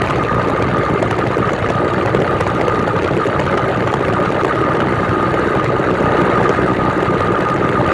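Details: New 66/80cc Chinese two-stroke motorized bicycle engine on its third start, being broken in on 24:1 oil/gas and 91 octane. Steady even buzzing idle with a faint constant high note, no misses or surging. Normal idle.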